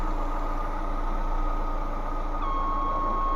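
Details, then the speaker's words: Lada Vesta petrol engine idling: steady, flute-like whistle and hiss under the hood from dried-out, cracked vacuum hoses. Fix: replace them with vacuum hose from the classic carbureted Zhiguli, without removing the intake manifold. "покажу что хозяина беспокоит свистит под капотом шипит свистит как флейта"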